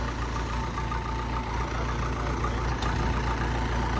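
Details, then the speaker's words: Case 450 dozer diesel, sat 2 years, started with a little starting fluid after a fuel issue was worked out: steady, even low rumble, no misses, knocks or hunting; settled, healthy idle. "Been sitting 2 years, fired a little bit of starting fluid and fired it right up."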